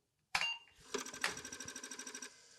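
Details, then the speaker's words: Apple IIe Disk II floppy drive booting DOS 3.3, heads driven to track zero by stepping repeatedly: quick even run of about fifteen sharp clicks per second for a second, the normal head-stop rattle at boot. "To do that, it gets the heads on the disc to try and go to track zero. And you'll hear it making a rattling noise because it positions the heads multiple times."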